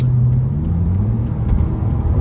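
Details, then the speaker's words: BMW 330Ci ClubSport automatic, bought as faulty gearbox, driving after passing MOT: engine pulls hard under load, revs climbing smoothly without slip or flare; kickdown downshifts clean, gearbox normal. "that's both kick downs and they're fine"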